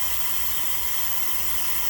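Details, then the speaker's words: T-fal pressure canner depressurizing, gauge near the bottom of the blue: steady, even hiss of steam venting, slowing as pressure eases, no sputter or knock; normal. "This pressure is slowing down. You can tell from the steam, the sound of the steam. Alright, it's steady going, it's constantly going."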